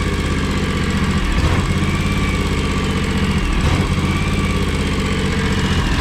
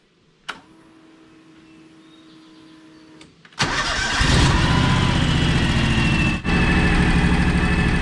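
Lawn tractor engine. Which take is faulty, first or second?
first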